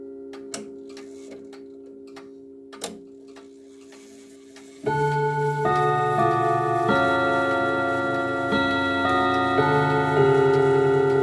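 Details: 1940s Manufrance box clock (1945–46) with a Girod movement, long pendulum and Saint Etienne rod chimes. Steady ticking, then a struck rod melody whose notes sound somewhat flat and off in tune: flat chime rods and an out-of-tune strike.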